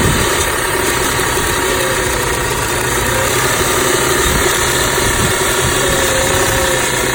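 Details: 2006 Audi A6 idling rough, noticed two days ago along with power loss at low speeds; owner asks whether the PCV valve is to blame. Uneven idle pulses, about 230 a minute, with a shaky, lumpy rhythm. Cause unconfirmed.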